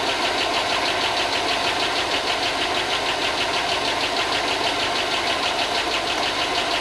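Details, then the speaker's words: 2005 Chevy Tahoe 5.3 LS, first run after fixing grounds suspected in a no-spark issue and a long layup: fast light ticking, about three a second, over the idle; owner suspects lifters still pumping up. "okay yeah it's uh it's it's ticking like I just sent you video it's ticking I think I think it's just lifters though"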